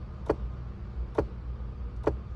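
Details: 2002 Ford Explorer XLT with heat selected blowing cold: sharp plastic clicking about once a second from the dash, from a blend door actuator whose plastic gears are stripped and can't turn the door; the actuator is replaced.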